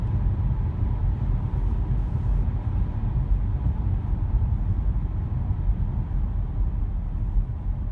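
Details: Audi A5 B8 driving at cruising speed after the front right wheel bearing was replaced: steady low road rumble with no growl or speed-linked hum; normal wheel bearing noise.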